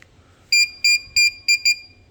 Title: Hikvison security system keeps beeping after open box